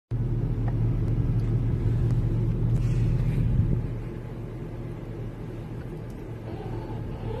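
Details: 2009 VW Touareg turning the steering at standstill or low speed: steady low groan under engine idle; power steering rack groan, found to be the steering rack, rebuilt with genuine hydraulic fluid.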